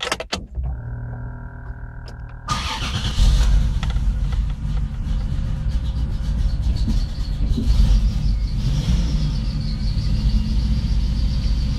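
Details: 1993 Chrysler Grand Voyager running poorly: after starting, the engine settles into an uneven, stumbling run with irregular low thuds and no steady beat, a misfire.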